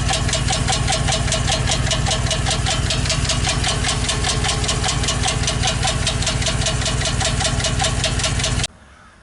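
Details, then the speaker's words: 2015 Chevy Express van, 4.8L V8: customer complaint of knocking under the hood. Hard, regular knock about 2.5 per second at steady idle, from underneath, at first taken for rod knock; a bad lifter on the right bank. "Almost sounds like a rod knock. Let's give her a little gas, see what we hear. That don't sound like a rod knock. Sounds weird. Definitely sounds like a hard hit from under here."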